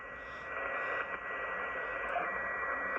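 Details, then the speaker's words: Ten-Tec Omni 6 transceiver receive test, 2.4 kHz filter replaced; steady carrier whistle heterodyne over received audio hiss, removed by the notch filter. "Notch it. That's what notch does. Takes out carriers, right?"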